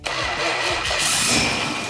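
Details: 1971 Plymouth Cuda revived after sitting, carbureted, with electric fuel pump left off and timing adjusted: cranks, catches quickly and settles into an even, steady run with no misses or knocks; healthy running after start.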